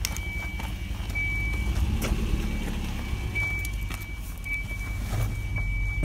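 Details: 1993 Volvo 240 with rough idle and hesitation: low, uneven, lumpy idle beat with a faint intermittent high tone; owner unsure whether a sensor or fuel issue is the cause.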